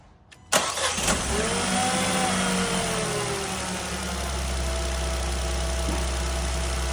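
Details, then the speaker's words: Renault Clio 0.9 TCe after timing chain replacement (arrived with obvious chain noise and timing fault codes), oil refilled, first start: cranks, catches, settles to smooth steady idle without rattle or chatter; far healthier than on arrival, normal idle. "Well then, it certainly sounded a lot healthier than it did when it arrived this morning."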